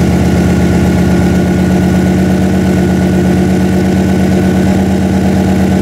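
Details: Freshly built 406 small-block Chevy V8 in an S10, first run during break-in: strong, even idle with a steady low pulse, no knocks or misses; normal idle.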